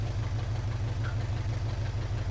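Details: 1980 Chevrolet C10 Cheyenne square-body small block, first start, hood off: deep even idle on all cylinders, no tapping; oil pressure came up and oil reaching the rockers, slight water leak noted.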